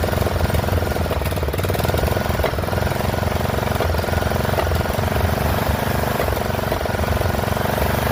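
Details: Poulan XT 12538 riding mower, 12.5 hp single-cylinder, 38-inch deck, warm and running on a newly fitted replacement carburetor (old one leaked gas into crankcase): lumpy, uneven idle chug with slight misses. Rough running; owner suspects valves not set right.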